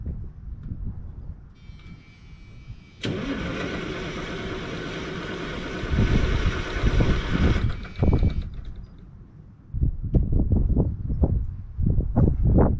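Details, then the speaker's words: White GMC diesel truck with tag axle: slow, labouring cranking for a few seconds, then it stumbles and catches with uneven bursts. Reluctant hard start; owner expects to need more ether. "i'm sure i'll probably have to shoot some more ether in it to get it started because it just doesn't want to crank over"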